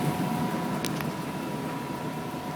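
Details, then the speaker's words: Gas dryer after thermistor replacement, test run: drum turns and igniter lights burner; steady low flame roar with faint even drum hum, no clicks or rattles; normal firing, dryer repaired. "the drum should turn and the burner and igniter should light so let's see what happens there"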